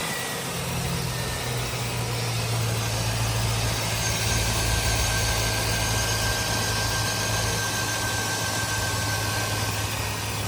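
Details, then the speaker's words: 2005 Chevy Silverado idling after a new accessory drive belt, pulley and tensioner replaced the cracked, squeaking belt: a steady, even low hum with no chirp or squeal. The belt is on correctly. "No more squeak. Belt's on correctly."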